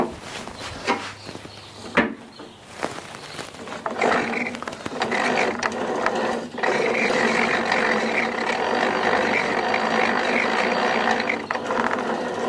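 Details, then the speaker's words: Exmark 21-inch commercial mower, wheel turned by hand: rough, gritty grinding and ratcheting growing as it spins; failed wheel bearing, unclear which side. "kind of sounds like it's coming from the side but to be honest it could be either one"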